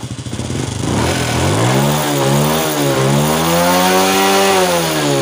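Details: Honda Wave 100 that started hard, wouldn't rev and stalled despite cleaned carburettor and new air filter, after cleaning the clogged fuel filter; small single catches then revs up cleanly and settles steadily, no misfire, running normally.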